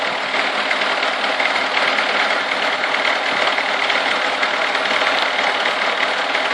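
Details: Chevrolet Niva with a cold engine at about 30 degrees: a light, fairly quick tapping of about three per second over a steady idle; the source of the knock is not pinned down.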